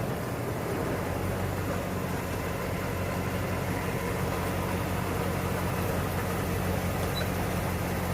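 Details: 1992 Ford Bronco V8, first start after being bought not running, coolant almost empty, oil a quart overfull: deep, steady idle with slightly uneven beat underneath; rough idle starting to settle.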